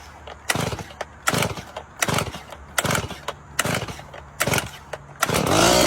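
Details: STIHL MS170 chainsaw restarted after carburetor cleaning, previously bogging and dying in 99° heat: coughs in rough bursts, then catches and revs unevenly; spring-loaded carburetor metering lever bent downward instead of flush, starving fuel.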